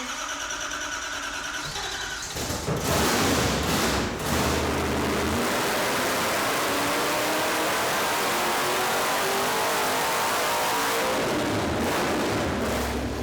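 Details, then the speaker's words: Blasphemi '55 Chevy with Hemi, after a new supercharger swap with a throttle-body spacer; cranks, catches and barks up through a few revs, then settles into a loud, choppy but steady idle, running normally. "there we go boys it's finally working that's some [Music] steam I got bad news for you Mr Burger so yeah she's happy this car has never made that much power"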